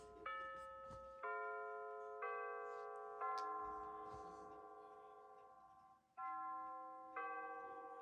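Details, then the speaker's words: Bulova C3542 battery wall chiming clock with new chime batteries, pendulum out, set to 9:19 PM: it strikes 9 times, clear, evenly spaced chimes about once a second, each ringing cleanly with a steady tone; the hour strike now works properly. "Currently, I'm looking at the clock, it's 9:19. And now it will chime 9 times."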